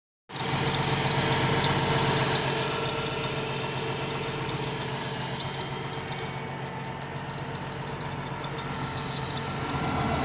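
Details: 2017 Ford Transit idling with a faint high-pitched squeak repeating about twice a second; four mechanics could not find the cause, source still unknown.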